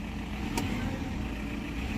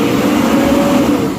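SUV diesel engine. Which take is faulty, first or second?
first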